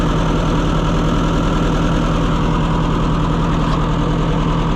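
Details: Very late Oliver 550 tractor, just got running: lumpy uneven idle about two pulses a second, stumbling rather than steady; a bad spark plug not firing is suspected, not confirmed.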